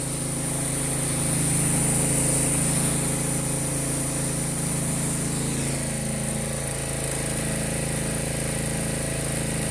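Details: Pressure washer with Honda GX160 engine driving an upgraded Cat pump rated 2750 psi at 2.5 gpm: steady, even engine drone holding speed with trigger pulled and pump loaded, no bogging or hunting; healthy under load.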